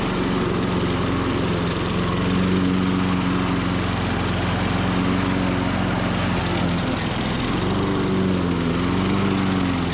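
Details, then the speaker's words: 1998 Ariens 21" self-propelled mower (engine VLV60) with the secondary carb fitted, compression 115–120 psi: wavering, faltering run that sags, then stalls like a spark cutout. Loss of spark is suspected, possibly from the new coil. "that's not me shutting it off it just di sound like spark cutout this thing just won't quit giving"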